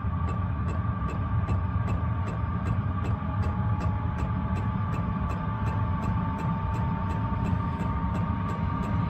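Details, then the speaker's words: Diesel air heater, 12 V battery on a charger, on full during ignition: steady blower whine changes pitch as it ramps up, quick even fuel-pump tick beneath; heater ignites and runs normally, warm air from duct. "it's just ramping up now you can hear the uh the blower in the motor it's just changed tone"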